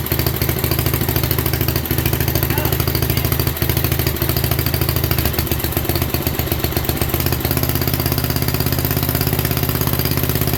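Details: 1967 Unico 7hp tractor, first run in 27 years (since 1995) after carb clean and rebuild, fuel valve left open: even regular thump around 200 a minute, steady without misses; normal idle.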